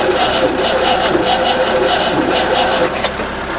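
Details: Rover SD1 fitted with a later 14CUX EFI system, jump-started from another car: steady cranking at about three and a half beats a second, never catches, no pump hum; fuel pump not running, not triggered by its relay.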